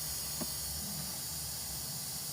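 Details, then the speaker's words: Refrigerant leak on a 2005 Isuzu D-Max with AC compressor not engaging, gauges reading 0 psi low and high: loud steady high hiss at a leaking AC line fitting; O-rings to be replaced. "ได้ยินได้ยินเสียงชัดเจนนะครับเสียงรั่วออกม.คนี้เนี่ยกับจุดรั่ว"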